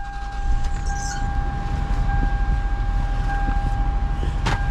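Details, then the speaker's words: 2001 Toyota Highlander bought as potential lemon, cranked and idling with check engine light: steady low rumble with uneven lumpy beat; codes P0300 random misfire, P1135 O2 sensor, P1349 VVT solenoids; owner suspects VVT, not confirmed. "the car has a lot of code that's popping up I'm gonna Crank It Up for y'all let's do it's misfire"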